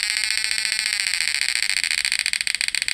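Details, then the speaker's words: PDC shocker device after replacing MOSFET FDP032N08 with FDP045N10: evenly spaced shrill buzzing pulses speed up smoothly as the frequency is raised; the PWM and inverter output are steady and normal, and the repair worked. "Tapi alhamdulillah sudah normal ya. Yang penting PWM-nya nih enggak pincang, Guys. Out inverternya itu enggak pincang."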